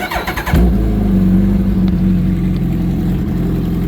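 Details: Motorcycle with the clutch safety switch bypassed by a cotter pin so it thinks the clutch is pulled in: quick cranking, then the engine catches and settles into a steady, even idle with no misses or knocks. Normal start and idle.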